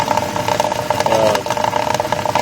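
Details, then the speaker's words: 2000 Land Rover Discovery II 4.0 V8 idling as it warms up after cooling system repair: irregular gurgling and popping as trapped air bleeds out of the coolant, coming out very hot. "hear a uh bubbling and that's the air and it's coming out very hot and why it's popping like that is you've got warm or cool water going through the heads and and through the intake and it's coming out very hard"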